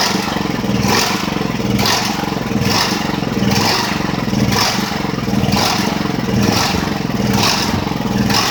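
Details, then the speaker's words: Ridgid generator, Honda GX390, running after repairs: speed surges and sags unevenly about once a second. Owner suspects a misassembled choke-lever plate. Engine hunting, cause unconfirmed. "lorsqu'elle a fait ce bruit un peu bizarre probablement que j'ai peut-être j'ai peut-être mal remonté la plaque où il y a la tirette du chok."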